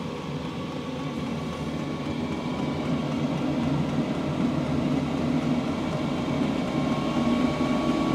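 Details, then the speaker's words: 8 kW Chinese diesel heater running at full output after air cleared from the fuel line, blowing warm air: a loud, steady, jet-like roar with no surging or knocking. It is running cleanly. "That sounds like a jet engine."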